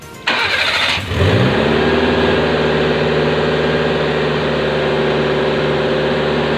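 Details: Mitsubishi Mini Pajero after no-start fault traced to wiring rather than the pump: cranks about a second, catches cleanly and settles into a steady, even idle; normal start.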